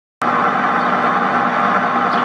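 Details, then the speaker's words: Samsung front-load washing machine spinning: steady dense roaring hum from the drum, early sign of worn drum bearings that are not yet destroyed; bearings to be replaced. "Se aude doar un zumzet care a început să apară, dar este deja neplăcut. Așadar, vom înlocui rulmenții."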